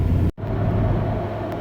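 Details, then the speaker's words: Jeep XJ on the interstate at 60–70 mph, where a slight vibration was, after U-joint replacement and driveshaft balancing: even, steady road and drivetrain rumble with no throb or shake; smooth highway driving, vibration fixed. "All right, this is where the vibration was, and there is absolutely no vibration. It is very smooth, so that solved our problem, thank goodness."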